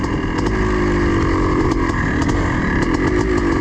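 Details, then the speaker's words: Yamaha IT490 two-stroke cafe racer project with the VM38 roundslide carb; after fixing leaks it reads leaner and is not rich at wide open throttle, and the owner thinks it needs richening. A rough, uneven bark that won't clean up: poor running. "but so far everything seems um pretty good but we're uh we're not running real well at the moment despite being I think it needs to be riched up a"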